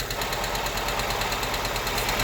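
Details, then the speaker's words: Honda Civic EK hatch idling: fast, dry rattling chatter from worn clutch throwout bearing; valves also ticking hard, valve clearance adjustment planned. "so the vowels are ticking and you can hear the throw out bearing loud noise they go press on the clock"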